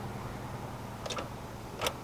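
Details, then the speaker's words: Automatic Mk2 VW Jetta, key turned with microphone in the engine bay: two faint dry clicks with no cranking; old starter completely dead, later replaced. "you can hear it very faint leaving here so it sounds like our starter is completely dead you can hear it kind of click but not enough to even try and turn the engine over"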